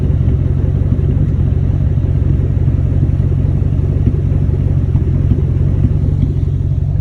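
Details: 1999–2004 Ford Mustang GT V8 with a random misfire: deep idle rumble with an uneven lope and occasional stumbles. It is louder in person, and worse in hot weather when the engine isn't fully warmed up.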